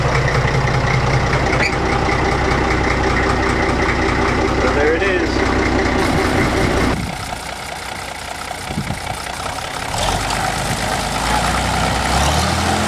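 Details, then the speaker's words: Old Case riding lawn tractor with a big engine, idling after starting: small single thumps at a steady idle, about two and a half beats a second, no knocks or misses; healthy motor with good compression, no smoke even cold. "pretty healthy motor sounds like it's got good compression everything so"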